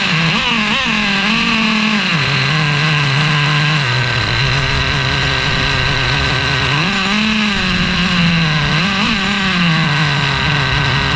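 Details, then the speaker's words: Traxxas Revo 3.3 nitro engine with new THS Racing tuned pipe: buzzy note surges and sags when the 2-speed shifts at higher rpm, sounding lean even after richening to an extreme setting with heavy oil smoke; no exhaust leaks seen. "But no matter what I did, guys, you saw in the video, the 2-speed hitting at the higher RPM, it sounded like the motor was lean."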